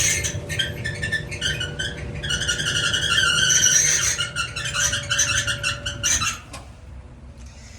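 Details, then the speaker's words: Maytag Bravos dryer (MEDX500XW0) with back bulkhead dropped; high chirping squeal with steady whine while the drum turns, stopping at shutdown, from a likely bad, binding idler pulley. "Yeah, we likely got a bad pulley."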